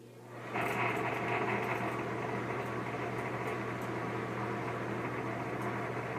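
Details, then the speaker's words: Bad exhaust fan: a steady, rough rushing roar with a low hum underneath and no clean spin; the owner suspects something loose or shot bearings, not confirmed. "it sounds like something is loose or either the bearings are just shot and uh yeah that's about it"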